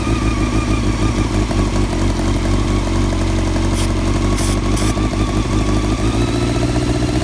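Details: 1999 Honda CBR600 F4 with lumpy, stumbling idle despite rebuilt carbs, new intake boots and carb balancing lines; owner suspects a vacuum leak somewhere, not yet found.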